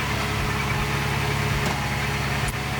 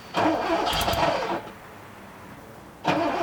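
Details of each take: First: 1979 Porsche 928 V8 warming up, throttle flicked slightly: even, low idle with steady beat and no knocks or ticks; runs smooth and healthy. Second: 1979 Porsche 928 after sitting: repeated cranking bursts without catching, then a longer crank; took 5–10 minutes and 10–12 key turns to start, injectors heard squealing.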